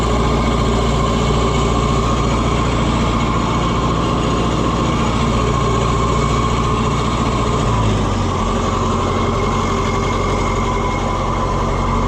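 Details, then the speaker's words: Oliver 550 tractor diesel on its test run after the injection pump was reinstalled: steady, even clatter at idle, unbroken low rumble, no stumbles or misses; normal healthy idle. "Listen to that sweetheart fur. I mean, it it runs great."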